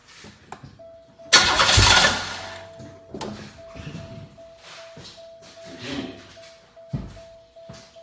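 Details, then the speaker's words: Cranking test on a 1996–1999 3.8 L 3800 Series II V6 after alternator replacement: short, quick burst of starter cranking without starting, to check the belt isn't chewed up; even turnover, no grinding, normal cranking. "actually what we want to do is I don't want to actually start I just want to turn over a couple times piece the belt chews up or something"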